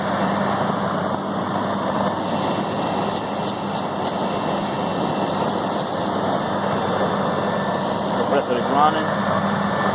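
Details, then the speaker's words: Walk-in freezer compressor restarted after a tripped breaker; snow on the defrost contacts is believed to have shorted it. A steady low hum under an even fan rush, with no knocking or rattling over ten seconds. It is running normally. "we got it running so so far it looks like the only problem was the uh shore on the uh on the def"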